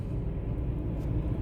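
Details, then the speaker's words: 2005 Toyota Tacoma with P0301: after swapping cylinder 1 ignition coil to cylinder 5, low idle with uneven stumbling beat; scanner misfire moves to cylinder 5, cylinder 1 clean, confirming faulty coil. "vamos a darle arranque a este motor arrancó Y sí miren Aquí está aquí se pasó el Miss fire Miren el cilindro 5 miren"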